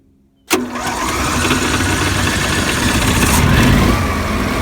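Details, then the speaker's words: Generac Q-55G RV generator that used to run then die, after a suspected fuel pump fix, putting out 124 V on both legs: quick crank, catches right away and settles into a steady, even hum with no surging or dying. "It seems to start up real good. So we'll just start her up here and see what it sounds like."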